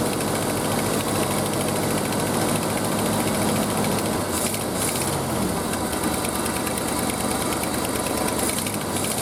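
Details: Early-1970s Ford F-350 after about 7 years sitting, idling on old gas, oil pressure about halfway: steady V8 rumble with a quick puffing tick keeping pace with the engine, a sizable exhaust leak underneath.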